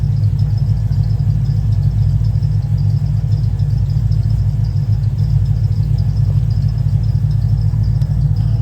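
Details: Cadillac CTS-V back after a tune for new heads and cam: deep, lumpy V8 idle with steady low rumble and uneven loping beat, though the owner notes a bad miss and wants to troubleshoot before driving.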